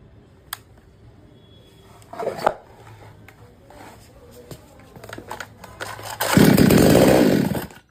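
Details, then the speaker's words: 58 cc chainsaw, after a new spark plug failed to fix it: soft idle, then it screams up on throttle about 1.5 seconds and cuts out dead; dust in the carburetor restricting fuel suspected. "यह जब machine start करते हैं accelerator press करते हैं तो machine अचानक से बंद हो जाता है पिकअप नहीं बनाता है"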